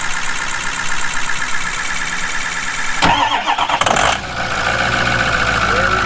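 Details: 2004 Ford F250 6.0 diesel first start after replacing the FICM power supply board, done because FICM voltage was a problem. Cranks briefly, catches and settles into a steady idle, starting normally.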